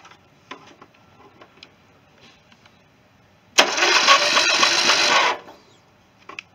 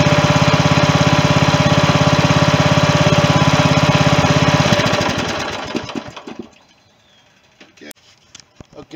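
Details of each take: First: 16.5 hp Briggs & Stratton engine swapped into a John Deere mower, starter jumped directly after the battery read low; a steady whirring crank for under two seconds with no firing pulses. It turns over but won't catch, and the owner next tries gravity-fed fuel. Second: 16.5 hp Briggs & Stratton engine swapped into a John Deere mower in place of its 15 hp Kohler; even, rapid thump at steady speed for several seconds, then it winds down and stops. It ran smoothly.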